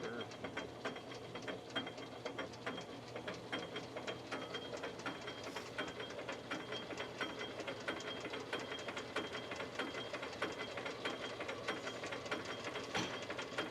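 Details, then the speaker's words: Assembled race Cummins short block turning on a sim tester (oil pan on the tester) while pre-lubed oil works up to pressure; fast, irregular ticking and clatter from the gear train; a burr on the cam gear. "You can hear a burr in that cam"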